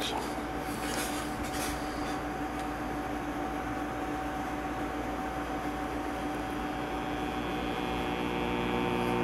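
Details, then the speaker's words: 1950 Arvin 450T AA5 tube AM radio (RE-281 chassis), first power-up after purchase: a steady, low mains-pitch buzzing hum that does not change. Power-supply hum, suspected bad filter capacitor. "got a bad sound like we got a bad filter cow"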